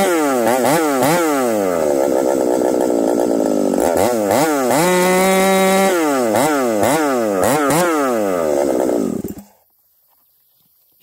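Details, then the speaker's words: Ported 371 XP chainsaw with a newly fitted coil, buried in a log under load: it revs and sags unevenly, breaking up, then cuts out. It cuts well cold but worsens as it warms; a carburetor fault is suspected. "I think we got a carburetor issue you guys hear that see how it's kind of breaking up acting strange so we'll have to dig into this carburetor further"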